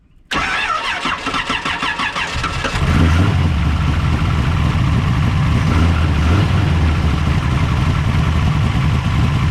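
Short churning crank, then it catches and settles into a steady, even idle with no misses or knocks; starts and runs normally.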